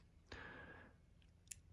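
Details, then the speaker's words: HomePod making a quiet, sudden low pop with brief crackle from the woofer every 10–15 minutes; microphones were disconnected and the power supply swapped, and the fault traced to the amplifier board's PowlRaudio 98-0431 amplifier IC. "i've also switched over power supplies and the issue seems to be the amplifier board hear that"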